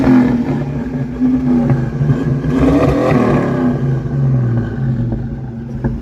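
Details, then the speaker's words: 1982 Ford Mustang Fox body V8, blips of gas after coming home on a trailer: burbling revs with occasional sharp pops backfiring through the carburetor. "Got a little bit of backfiring through the carburetor, but it sounds good, buddy."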